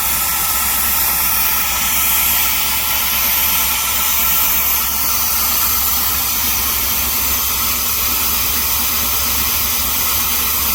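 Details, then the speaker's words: 1977 GMC Motorhome, Oldsmobile 455 big block converted to ACE KillShot fuel injection with GM HEI distributor, first start after setup: catches and settles into a steady, even idle under a loud hiss, no misses or knocks; coolant low, engine warming. "Heat. Heat. And she runs just like that."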